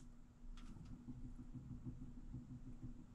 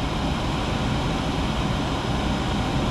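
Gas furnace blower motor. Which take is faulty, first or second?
first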